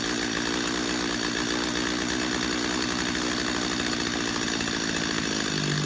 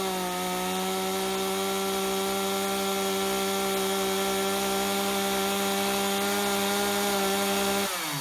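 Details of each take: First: Chainsaw carburetor tuning: high, buzzy two-stroke idle steadies and drops slightly in pitch as the idle screw is turned down until the chain just stops moving: idle speed being lowered. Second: Chainsaw, high-speed screw at factory 1.5 turns out, max rated 12,500 rpm, tachometer reading about 1,000 rpm lower; steady clean wide-open scream without wavering, then drops to idle: normal full-throttle running.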